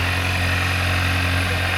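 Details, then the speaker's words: Salvage 2025 Ford Maverick XL, 6,000 miles, front-end crash damage, started with coolant pouring out and radiator twisted up: smooth even idle, constant low hum with steady hiss, no misses or knocking; engine sounds good. "Yeah, that's coolant. Sounds good. It ain't going nowhere though."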